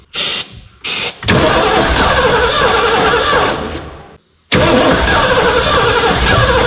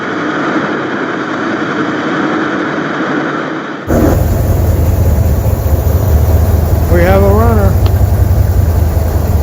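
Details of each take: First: 1989 Ford F250, parked since about 2016, with a new gas tank and a new battery: two short cranks, then a long steady crank that never fires; no spark was found. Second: 1989 Ford F250 truck restarted after years off the road and a new fuel system (tank and pump replaced): it catches and settles into a deep, even low rumble with no stumbling and decent oil pressure. Normal idle.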